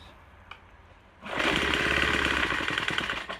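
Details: Troy-Bilt TB4HB EC leaf blower, unused 4–5 years and stored running poorly, full choke, fresh fuel lines: catches first pull then runs rough and ragged, about four beats a second, straining; breather cap loaded with oil via crankcase overflow tube; worn rings, blow-by.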